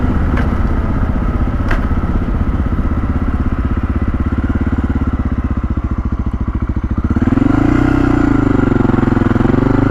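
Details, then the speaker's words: Honda XR650L carb, recently acquired and just washed: opening the throttle makes the uneven, lumpy single stumble then rise unsteadily in pitch, bogging; fine at idle. Owner suspects condensation water in the gas sitting in the bowl bottom, drawn by the main jet. "i think it's when you really start to suck up out of the bottom of the bowl which is where the main jet would be"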